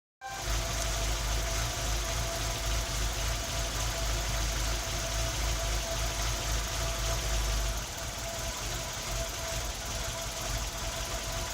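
Idle with an irregular stumble and uneven low thump about every quarter second, engine missing on a cylinder, cause unknown.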